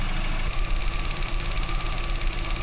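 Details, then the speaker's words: Herbie at idle on the hoist after the failed cooling fan switch was replaced: rough, clattery, diesel-like chatter; a wire left unclipped was rubbing against one of the radiator fans, and poor recording audio exaggerates it. "Herbie doesn't sound this bad, but I forgot to clip a wire into its little spot, and it was rubbing against one of the fans. This is why it sounds like a diesel engine."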